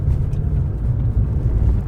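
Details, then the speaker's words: Jaguar XK8 on the road after replacing both rear shock bushings, anti-roll bar bushes and both drop links: only steady low road rumble, no thumps or knocks over bumps; the former rear suspension knocking is gone. "There's no knocking, the knocking is gone. So that's the result."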